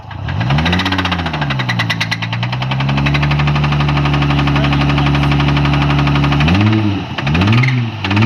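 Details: JDM Nissan 300ZX, former track car, revving with a heavy, deep knock that gets harsher as revs rise and fall; rod knock, badly worn bottom end suspected, not confirmed.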